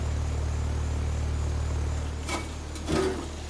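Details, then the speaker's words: Carrier heat pump outdoor unit, no-cooling call: steady low "death buzz" hum for two seconds then drops out, compressor stalling on a failed 40/5 run capacitor left loose in its box. "all right so right as i was getting the screws out of it i heard the death buzz"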